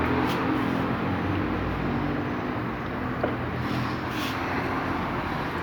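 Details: 2018/2019 Fiat Cronos driver's door after reassembly with thread locker; steady cabin road hum while driving, no rattles or buzzing from the door; the earlier door noise is gone.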